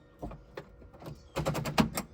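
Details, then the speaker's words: Pontiac Fiero with a Cadillac Northstar V8 swap and an automatic transmission, shift cable newly fitted: the shifter moves from park through reverse, neutral, drive, 3 and 2, each gate giving a crisp click; detents engage normally. "So reverse, you can hear it click. Neutral, drive, 3, 2."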